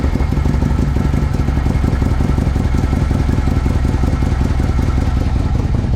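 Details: Harley-Davidson Ultra after starter motor replacement following compensator work, started in neutral: big twin settles straight into a steady, even, lumpy idle with clean firing pulses and no grinding or clatter.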